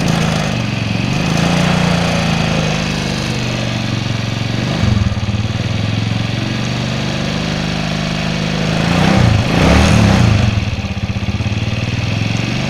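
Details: 2004 Suzuki Shogun 125R single, clutch plates, clutch housing, cam chain and its rubber replaced a year earlier, idling: an uneven ticking clatter over the beat, about 220 a minute; unexplained engine noise, cause suspected but not confirmed.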